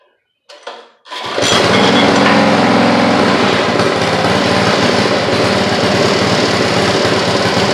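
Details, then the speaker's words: Rototiller small engine after governor rod refit, idle-only carb adjustment; catches and runs loud with uneven surging beat, three or four pulses a second. Owner suspects lots of bad gas still in it; plans to flush carburetor and tank, replace spark plug boot. "i think she still got a lot of bad gas in her"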